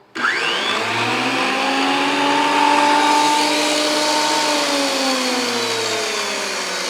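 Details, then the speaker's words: WEN PL1326 13-inch spiral thickness planer after repair, running with no load: loud, even motor whine spins up quickly and holds a steady pitch with no knocks or grinding. The planer runs normally. "well that seems to make a generous amount of noise"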